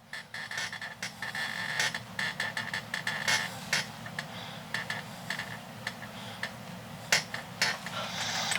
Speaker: And you can listen to the shaft crackling, and you can listen to this, so it gives you messages on whether or not you're getting close to bad things. So you don't want to go too far.